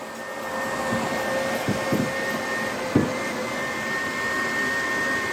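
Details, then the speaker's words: HP EliteDesk 800 G2 SFF with power supply fault (turns on and off repeatedly), fan tacho wire reconnected, before powering on the computer: constant loud whoosh with steady high tone, PSU fan running flat out with no speed control. "so this fan started up straight away haven't even turned the computer on yet so let's turn the computer on"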